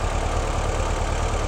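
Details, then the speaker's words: 1958 Porsche 356A with Zenith carburetors, just synchronized: a steady, even low rumble with no misses or knocks. The idle is a touch quick but balanced and smooth. "okay I think that sounds pretty good to me that's a it's a little bit quick in the aisle but I kind of like that it's going to respond better off the idle I think and we're nice and balanced"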